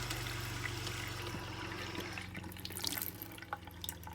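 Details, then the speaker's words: Geo Pro 19FBS RV water pump after replacing its clogged filter, which had caused low pressure and the pump running for about a minute. A low hum with water running, then the pump cuts out cleanly after about four seconds. Normal pump cycling. "it shut off right away just after a few seconds so that's how the system should run"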